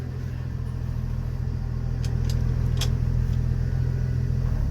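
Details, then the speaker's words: 1974 Ford F-250 Ranger SuperCab, 4.9 300 I6, rolling to a stop out of gear / in fourth: low drivetrain drone with sharp knocks; worn, never-greased driveshaft slip spline clunk, not the transmission. "yeah it's there in the spline it ain't the transmission like I thought which is good"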